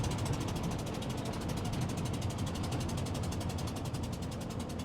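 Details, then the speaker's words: 1986 Ford F150 5.0 EFI V8 with headers and side pipes, revived after 25 years sitting, about a mile into a test drive: sharp rapid puffing tick about twelve a second over the rumble from a spark plug blown out of the head. "That's a spark plug. That was a spark plug blowing out of a hole."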